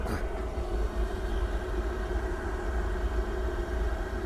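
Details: Pentair gas pool heater running after replacing a failed flue stack sensor: steady even low burner roar, no surging, sputtering or cut-out. Heater firing normally; owner watching for an error or shutoff.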